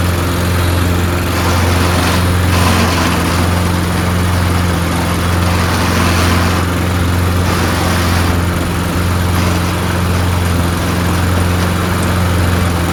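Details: Toro Recycler mower being pieced together from broken units, running after fuel added: steady, even small-engine drone with no misses, surging or knocks; engine and blade PTO work; owner suspects stripped rear-wheel drive gears.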